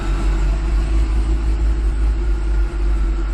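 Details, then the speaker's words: 2005 Chevy Corvette C6 V8 after a fuel system fix (larger ground, check valve, Racetronix harness). Fuel pressure no longer drops, but it has a rough, lumpy idle and a fluctuating gauge reading. The cause is unknown: fuel, air or charging are suspected. "The car is idling really rough though. I don't know if you guys can hear that."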